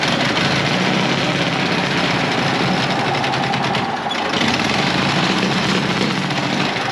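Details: Gasoline pony motor on a late-1940s/early-1950s Caterpillar D6 cable dozer, a barn find that sat for years, just started: it runs loud and fast with a busy, even rattle at steady speed, very noisy, before the clutch is engaged to turn the diesel. Normal running.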